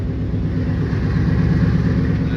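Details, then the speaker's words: Truck with long tube headers: steady low idle with faint metallic ring, strongest in neutral and reverse, gone in drive; shift cable touching the driver-side exhaust header, header to be heated and dented for clearance. "nasty ring noise but when I put it on drive it goes away put on neutral hear it again"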